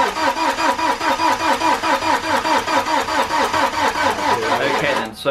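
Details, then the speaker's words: BMW N47 diesel first start after timing chain replacement and engine reinstall, battery left connected for weeks: slow labored cranking about two and a half turns a second, never catching, then dies out; flat battery. "you haven't already worked it out we have a flat battery now I was kind of hoping this wouldn't be the case but to be honest it is to be expected"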